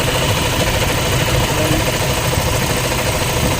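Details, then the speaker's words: Toyota Fortuner with 2GD diesel engine at idle: steady churning, helicopter-like whir over the clatter from a worn alternator bearing, now dry and wobbling; it may affect charging, and the alternator bearings are to be replaced. "kasi ibig sabihin niyan ung bearing Sira na wala ng Wala na siyang gasa Minsan umaalog na rin umaalog na siya"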